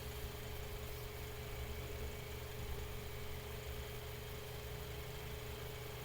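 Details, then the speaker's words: Mainstays 9-inch high-velocity fan after cleaning, oiling and blade balancing, in a below-30°F room, on medium speed: steady airy rush with low hum, no ticking, rubbing or wobble; running smoothly. "Alright, now we're on medium here. As you guys can see, that's still moving a lot of air. This is an extremely powerful fan."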